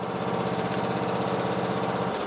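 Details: Cub Cadet riding mower after loose negative battery cable fixed and corroded positive terminal cleaned: small single-cylinder engine runs at steady, even putter with no misses or knocks; starts and runs normally.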